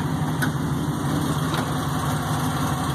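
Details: 1951 Chevrolet 3100 pickup, Art Morrison chassis, supercharged LSA crate V8: smooth even low rumble at idle, no ticks, misses or lope; idles cleanly, just purrs.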